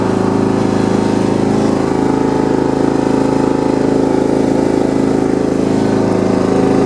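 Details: John Deere 170 lawn tractor after steering, front wheel and deck-height repairs, cold-started on choke. Single-cylinder putters at a steady, even beat with no misses or knocks; normal running on choke.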